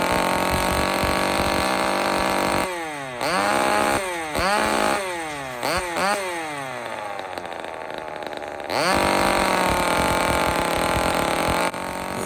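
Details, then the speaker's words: Old two-stroke chainsaw that needs carburetor work, during high-speed screw adjustment: it revs up sharply and falls back several times, uneven on the rise; turning the screw in leans it out. Poor high-speed running. "this is an old saw it actually needs carburetor work but it's just important for folks to understand that turning the screw in to the right leans it out"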